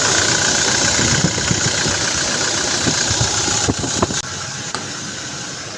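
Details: Toyota Hilux 2GD diesel with push start, after brake switch reinstalled and P0504 brake switch code cleared: starts cleanly and settles into a steady, even diesel idle clatter with no misses or knocks.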